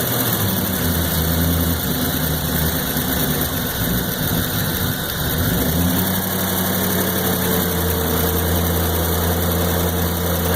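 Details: 1993 Corvette LT1, 42,000 miles: V8 idle wavers and dips for a few seconds midway before settling; stutters at idle and in town driving, fine under load; new part tried, same thing, cause unknown.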